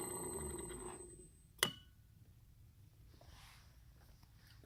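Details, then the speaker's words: TVT smooth smart motor with a spring-engaged brake; on stop, a relay cuts power and the spring locks the motor: one crisp click, then a quiet, even run with no dragging or chatter; normal brake operation. "here's a run listen for the click"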